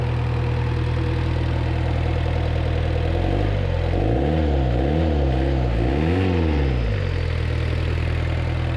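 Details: 1986 Suzuki Samurai turbo diesel after replacing the leaking injector pump with a rebuilt one: steady, even diesel clatter at idle with a short rev blip that settles cleanly; smoothest it has ever run, little smoke, some blow-by; normal idle.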